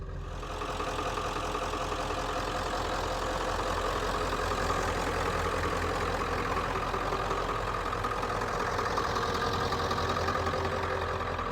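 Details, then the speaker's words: 1995 Ford F350 XLT 4x4 7.3 diesel, ZF5 manual, daily-driven: steady even warm-idle clatter about 160 beats a minute, no misses, starts well, no shifter shake; normal 7.3 diesel idle. "So, uh, starts up good. Idles here good. Doesn't have the shifter that's shaking back and forth. Uh, it idles like a normal 73 should."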